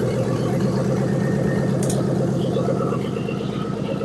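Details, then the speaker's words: 2000 Ford Crown Victoria police car, verified 45,000 miles, rescued from junkyard, just started, exhaust needs repair: steady even idle with regular low pulse about three beats a second, some rattle, no smoke or misses; runs smooth. "That thing runs smooth. I mean, it rattles. It don't smoke."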